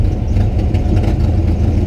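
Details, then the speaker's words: 1978 Buick Skylark, warmed up: rough uneven note with irregular stumbles under throttle; misfire developed after hard driving, owner plans to replace spark plugs; cause unconfirmed. "You can hear, the other day I was out driving pretty hard and I've developed a misfire. You can hear it when I'm on the throttle."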